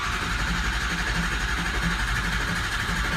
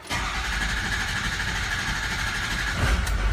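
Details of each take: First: Diesel that had no base oil pressure (low-pressure regulator found stuck) and was a no-start, first start: rough running with irregular pops about four a second, seemingly from the intake. The tone changes once oil pressure comes up; cause unconfirmed. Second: 550 crane-body bucket truck diesel, in for no base oil pressure, low-pressure oil pump pulled: cranks briefly, fires and settles into a steady, even diesel clatter at idle; the injectors sound good and it is pumping oil.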